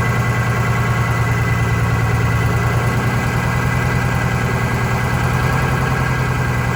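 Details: Vintage diesel bus in cold weather, after fuel hose replacement: lumpy, uneven idle chug with unevenly spaced beats, hinting one cylinder not firing cleanly; air suspected in fuel lines, number 2 cylinder injector later suspected.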